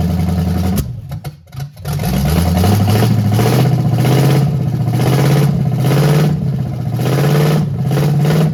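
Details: 1968 Chevelle with swapped used small-block Chevy V8, Edelbrock carburetor, new cheap headers and ignition parts, first start: stumbles, then uneven loping idle; carburetor was not getting fuel, blockage cleared and it now idles, still rough.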